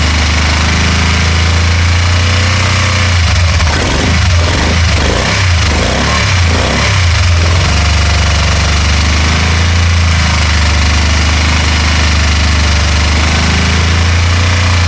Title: 2012 can am spyder rtl 990 misfire